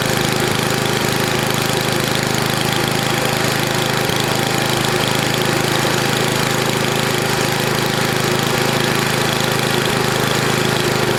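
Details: NOMA 8hp snowblower single-cylinder engine, after clearing a plugged gas line: fast, steady buzzing beat with no stumbles or surging; running normally, warmed up for oil change.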